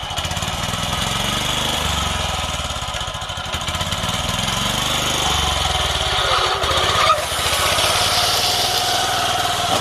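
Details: Used Japanese walk-behind greens mower, 24-inch reel, Mitsubishi 4 hp single-cylinder engine: fast even beat with steady reel whir, no misses or knocks; running healthy.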